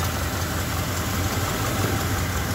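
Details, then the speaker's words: 1970 Ford F100 original factory 302 cubic inch V8, automatic: idles with a steady, even low burble, no knocks or misses, almost like new except for an exhaust leak. "Listen to that. Thing sounds almost like new, except for the exhaust leak."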